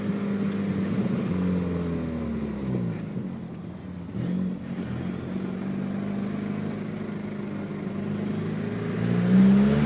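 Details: 2000 Audi A4 B5: light metallic clicking while driving, about three or four a second, traced to a valve stem nut that came loose and rattled inside the tire.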